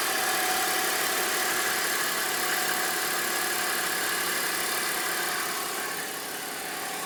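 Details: BMW 325i petrol engine at cold start: a steady high whining whistle over the idle, with hiss and little low rumble. It goes away once the engine warms up. Cause unknown.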